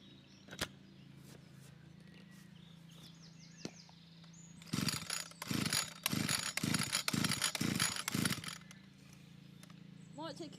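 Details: Old Stihl FS 81 strimmer, freshly fuelled, choke on, start position set; about seven rasping starter-cord pulls and it never fires; cranks but won't start, cause not confirmed.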